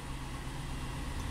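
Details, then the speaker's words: 2004 Chevy Avalanche 5.3L V8, 67,000 miles, just after start: shaky, uneven low rumble that keeps stumbling; rough idle, scan tool showing misfires on cylinders two and six, earlier up to four cylinders misfiring. "let's just start it up see how it runs it'll come on it is shaky right now"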